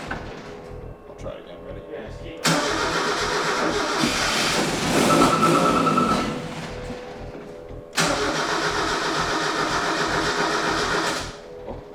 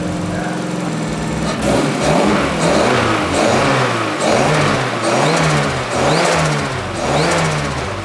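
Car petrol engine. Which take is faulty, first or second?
first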